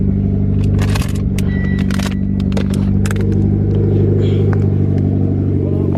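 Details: Mitsubishi Evo X turbo four at an ice-cold start, check engine light on: deep, slightly uneven burble with the odd stumble. Misfire suspected, cause not yet found.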